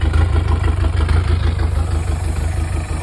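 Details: 1983 Galaxy boat engine, bought with RTV used as head gasket and no compression, now running: deep lumpy idle pulsing about three times a second, uneven beats; owners suspect misfire, valves clacky, shakes badly.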